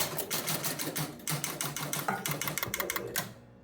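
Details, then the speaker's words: Travel Time pinball: 100-point relay locks on immediately at power-up, rapid uneven relay clatter about three a second then abrupt stop; suspected its hold switch is pulling the relay in itself rather than holding. "there's my 100 Point relay I I turn it on immediately locks on again"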